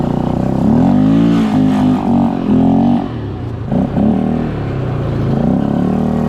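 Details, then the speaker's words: Polaris Scrambler 500 four-wheeler, single-cylinder, barn find that sat 10 years, ridden after getting fuel, no front end fitted: strong exhaust note rising and falling cleanly with throttle, no misses or knocks; normal running under load. "Okay, now this has no front end on it, but that's [Music] fine. That's man. She rips. Okay."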